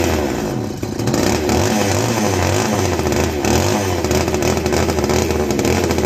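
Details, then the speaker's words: Castor 330 Antivib chainsaw (rebranded Alpina), before teardown: crisp strong two-stroke buzz picking up cleanly and holding a steady high pitch; sounds like a strong runner. "She sounds like she's going to be a strong runner, guys."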